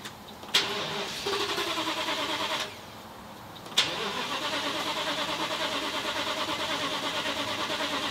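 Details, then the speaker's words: Winnebago Sunstar RV engine after fitting parts from a donor engine and plugging in the coil packs: starter spins briskly with steady compression pulses but it never fires; owner suspects no fuel or a spark problem; crank no start. "so it's spinning over and it sounds healthy when it's spinning sounds like there's good compression and everything like that but it is not firing over"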